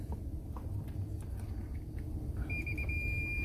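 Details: Multimeter continuity test on an Imperial IMP-CRISPY-IR steam iron (120V 60Hz 1200W) during thermal fuse and thermostat repair: handling clicks, then a steady high beep holds, showing continuity through the iron, circuit closed.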